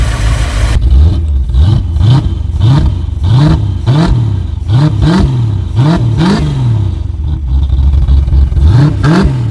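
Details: 1986 Chevy C4 Corvette 350 V8 with 700R4, now on Holley 650 carburetor replacing rusted TPI injection; revs rise and fall cleanly through blips, no stumble, runs smooth; carb unadjusted, choke not connected, loading up a little.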